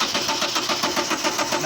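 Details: 2010 Subaru Liberty, intermittent crank-no-start: steady starter churn about six to seven beats a second, engine never catches or fires; injection pulse seen coming and stopping, timing suspected, cause not confirmed.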